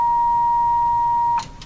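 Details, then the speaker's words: General Electric KL60 tube radio, signal generator injected at the output tube: clean, steady mid-pitched tone plays loudly then cuts off; output stage and speaker work, so the no-output fault lies between the preamp and output tube. "I heard it lots of volume there so our problem lies somehow between the preamp tube and the output tube cuz this sounds pretty good this this does sound pretty good"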